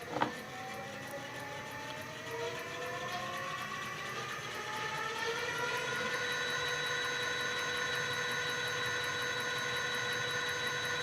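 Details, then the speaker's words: E-bike front hub motor (350W 48V / 250W 36V) with 36-48V 350W controller and throttle display, run after swapping blue and yellow motor wires to fix reverse rotation, about 51 V: clean whine rising and holding steady, no grinding; normal run, now turning forward. "Udah, kita nyalakan lagi. Kita gas sekarang. Nah, ini udah geraknya ke depan."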